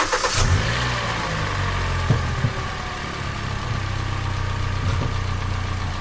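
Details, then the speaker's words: Hyundai Elantra just after installing NGK Laser Iridium spark plugs, with cold air intake, recorded on a GoPro: engine catches quickly, then settles into a steady, even idle with no misses or knocks; normal idle. "So guys, she's purring like a kitten."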